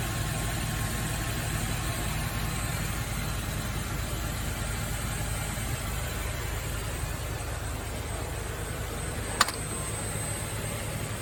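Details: Nissan Fairlady Z Z33, VQ35DE V6, automatic, 310,000 km, just after a DIY engine overhaul: steady, even idle with a soft low rumble and no knocks, ticks or misses. The engine sounds healthy.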